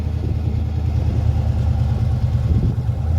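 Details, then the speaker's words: Police Interceptor Crown Vic V8 with newly installed longtube headers and owner's cold air intake, not yet warmed up, free-revved in park to roughly 3000–3500 rpm: deep rumble rising smoothly, crisp, no misses; new headers may smoke slightly from oil. "that thing sounds good man yeah it is that wasn't that wasn't much that's probably what 3500 rpm if that"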